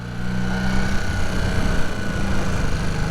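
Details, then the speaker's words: Rebuilt 1981 Honda CB250 Super Dream twin, barn find: holds a fast, steady idle that hangs and won't drop back; owner suspects unbalanced carbs or a part loosened by vibration, fuel starvation ruled out; cause not confirmed. "And look, it's hanging as well, which is not right."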